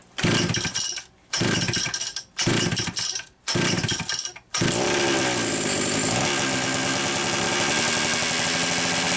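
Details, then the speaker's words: Homelite Super XL-925 chainsaw, two different carbs tried, owner reports too-fast idle: hard pull-start bursts then a steady screaming rev that won't settle; running lean from a suspected air leak, and a cylinder nut rattled off. "rope [Music] that is revving hard over"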